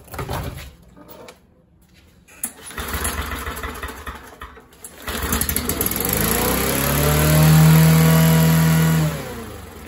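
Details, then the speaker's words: MTD 21-inch push mower, 140cc engine, sat a couple of years; after reinstalling a part by hand, it runs a little better only with carb spray: sputtering catches, rising steady rev, then fading; runs only on starting fluid, fuel delivery suspected. "well a little bit better right and with some carb spray"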